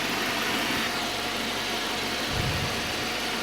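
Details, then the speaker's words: Citroën C4 2.0 with a prior engine-noise complaint, idling after its cylinder head was rebuilt at a machine shop over six days: a steady, even idle with light fast ticking and hiss from the top end, no knocking. It runs well. "mas aí O bichão tá funcionando bacaninha a"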